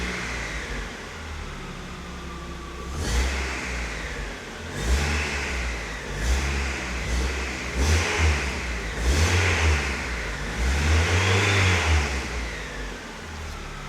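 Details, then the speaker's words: Mazda Miata with a brand-new alternator, charging fine, oil pressure 60: a thin whistle rises and falls with each rev and sits faintly at idle, even louder than before; source unknown, owner wonders if the water pump. "sadly still whistling. I have no idea. I have no idea what's up with it to be honest. It's even a louder whistle."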